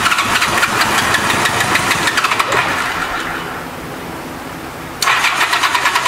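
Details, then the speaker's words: 1986 Honda Goldwing GL1200 SE-I fuel-injected, first start after electric fuel pump fitted: lumpy, uneven firing that fades and restarts rough; pipe test shows two cold cylinders, running on only two, sticking injectors suspected. "thank you but uh it sounds like it's not hitting on all those cylinders when it's running maybe it's a stuck injector"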